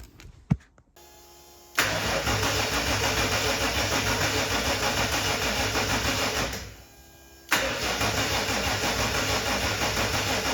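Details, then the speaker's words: RB30 turbo engine swapped into a VN Commodore, first crank with turbo oil line off checking oil flow and spark plugs out: steady even starter churn about three beats a second, never catching; cranks but no start. "Like I said, today, I'm just going to crank it over with that turbo oil line off, and we'll see whether that's got some oil under it."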